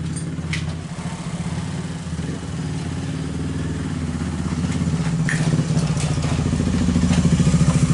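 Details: Viar 150 motorcycle after repair of a slack cam chain that had let the valves contact the piston: steady even thump of about three and a half beats a second with no clatter or misses; normal idle.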